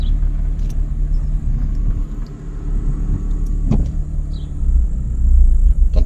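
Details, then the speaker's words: Chrysler PT Cruiser cabriolet, check-engine light on, code P0302 cylinder 2 misfire, longstanding but worsened: rough uneven idle, low rumble stumbling and surging; coils, plugs or injectors suspected. "Ça a l'air de rien comme ça mais ça me fait des [ __ ] de ratés. C'est pas nouveau mais ça s'est salement amplifié là."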